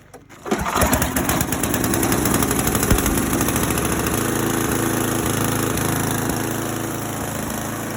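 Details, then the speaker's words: 8-horsepower 1980s Simplicity snow blower, pull started with a little choke on a cool evening: starts, then an even single-cylinder chug about four beats a second that settles and holds steady; healthy. "Usually starts on the first pull. Choke it a little bit here because it's kind of cool out tonight."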